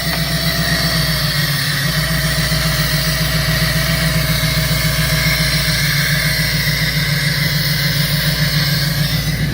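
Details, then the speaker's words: 2003 Mustang Cobra with a dead cylinder, oil burning and knocking idles lumpy and uneven, a recurring stumble breaking the exhaust beat; misfire, with a suspected vacuum leak and exhaust leak on the left side. "Kill it, I don't want to push start it. Thing's running like ass. I can hear it missing."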